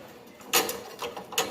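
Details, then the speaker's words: Motorcycle front end, irregular sharp metallic clacks about two a second from worn loose parts with play, knocking side to side over potholes under rider weight. "essa folga na hora que você tá andando com a moto seu peso em cima e passa nos buraco fica jogando ele para o lado para o outro essa folga"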